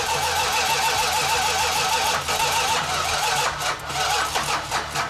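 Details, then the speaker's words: Chrysler 446 six-pack engine (69½ A12 Super Bee) on the run stand after fuel lines tightened: long rough cranking with uneven sputters, then it stumbles and catches; flooded, leaned out with continued cranking and ran good. "Just kept cranking on it, and eventually it leaned out and fired right up and ran good."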